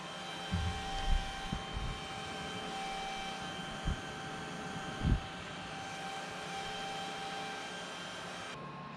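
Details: Firebox X5500e firewall with an original stock cooling fan: a constant airy whir with a fixed tone, a small cooling fan running noticeably loud.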